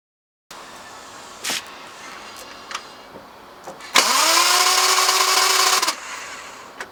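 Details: Lexus IS200 1G-FE manual with reconditioned engine after radiator leak caused overheating and head gasket failure; starter whirs steadily about two seconds, rising then level tone, never catches: crank no start, cause unconfirmed.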